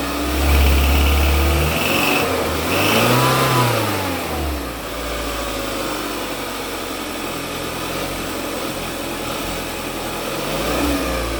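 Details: Kia with about 110,000 miles, 8 years old: on cold start, a loud dry metallic rattle over a fast idle lasts the first 2-3 minutes. Confirmed cause is a failing turbocharger bearing.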